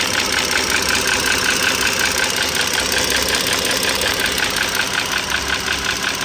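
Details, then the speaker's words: 2009 Dodge Journey SXT V6 idling: quick, fairly steady light clicking tapping, about two to three ticks a second, over engine hum; attributed to worn rocker arm and rocker shaft assembly needing replacement. "you can hear that noise sounds like a clicking tapping noise"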